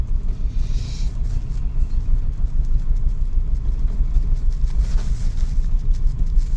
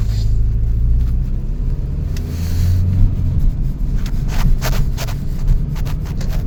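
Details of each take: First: 2000 Toyota Celica GT at cold idle just after reinstalling new parts: low, uneven, lumpy rumble with no clear knock and a shake that is still there; owner thinks it may need to warm up. Rough idle. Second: 2000 Toyota Celica GT on a test drive at about 40 mph after new parts were installed, now warmed up: a steady, even low engine drone under road rumble with no misses or knocks. The earlier shaking seemingly just needed warm-up, and it now runs smooth.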